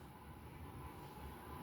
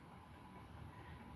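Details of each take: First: Craftmade 52-inch outdoor five-blade ceiling fan, restored from heavy rust with new blades, original brackets and a replacement for its failed capacitor: a smooth, steady low hum with a soft rush of air and no ticking, scraping or wobble. Normal running. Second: White 52-inch outdoor Craftmade ceiling fan on high speed after its blades were re-pitched and leveled gives a steady low rumble with a faint hum of bearing noise; no wobble.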